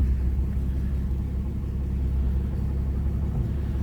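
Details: 1946 Plymouth Special De Luxe, started warm from indoors without choke, settles to a smooth, deep, even rumble at steady low idle with no knocks or misses; a normal warm idle.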